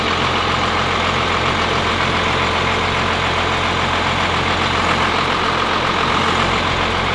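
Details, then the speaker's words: Freshly built 12V Cummins diesel with Stage 2 cylinder head, now about 450 hp, idling with the oil cap off to check blow-by: steady, even clatter, little to no blow-by at idle. "Start it up, pull the oil cap off, and see if she floats. Yeah. Not really? It's not really leaking at an idle."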